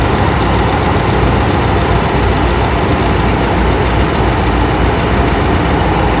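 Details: 2009 Ram 5.7 V8 with a tick after a rebuild, running at idle with the coils refitted and a vacuum line blocked. A light fast valve-train tick rides on the idle, loudest at the front number 1 rocker arm; the exhaust is quiet. Cause unknown.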